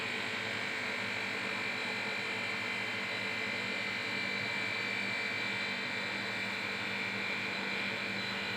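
Steady even hum with a constant high tone and no knocks or surging; the refrigeration compressor runs smoothly and sounds healthy.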